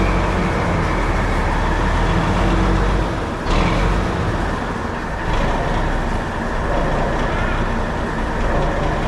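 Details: 1984 Mack RD688S with EM6-350 engine after number 6 piston and liner replacement: deep steady diesel rumble, even beat, no knock or miss; running normally.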